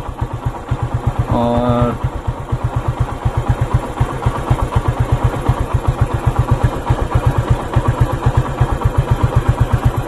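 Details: Motorcycle with a very loose timing chain, idling while the tensioner is adjusted: quick, busy idle around four beats a second with a loose clattery rattle, also heard when accelerating.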